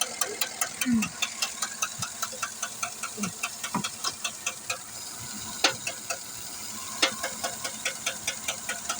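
Quiet idle with sharp, fairly light ticks coming a couple of times per second, uneven spacing; knock-like tick from the engine, cause unclear.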